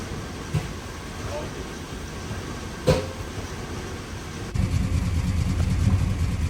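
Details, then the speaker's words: 1997 Chevrolet Silverado 1500 2WD, 5.7L Vortec 350 V8, P0300 random misfire code: steady low rumble under light load broken by two sharp exhaust bangs a couple of seconds apart; intermittent misfire, a cracked distributor cap suspected. "but I can feel it's uh dropping one cylinder misfire and kind of think maybe a distribut cap is cracked but we'll see here"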